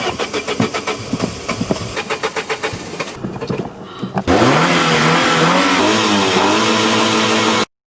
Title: Car won't starting problem